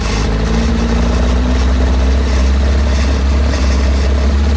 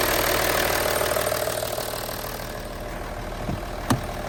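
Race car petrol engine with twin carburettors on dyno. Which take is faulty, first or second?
first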